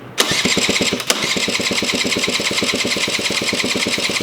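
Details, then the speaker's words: 1987 Honda Aero 50 two-stroke scooter, first start attempt, ignition relay missing, starter jumped with a little throttle: steady rapid cranking about eight compressions a second but never fires; crank no start, cause not yet found. "I had a feeling I wasn't be able to get it fired up right away. So, I gotta figure out what the heck is going on. But it turns over, which is a really great sign."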